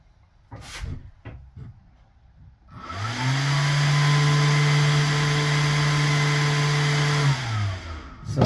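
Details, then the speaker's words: Two small 12 V camper vent fans run together on a battery, spinning up to a steady hum with low drone and airy whoosh; somewhat noisy but normal running, moving air. "makes a little bit of noise and it moves some air"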